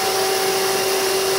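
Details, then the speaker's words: Old Toyota forklift DC series drive motor (rated 23.5 V, 2.44 kW 60-min, internal cooling fan) run unloaded on 12 V, wedged in place: smooth even hum with fan rush, very quiet, no knocks or grinding; normal healthy motor run. "Yeah, it's really quiet. It's 12 volt and very very nice very very nice motor."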